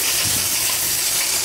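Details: New Rocket Espresso Stone espresso machine, just unpacked: strong, steady high-pitched rush of steam with no sputter or pulsing; full, healthy steam output.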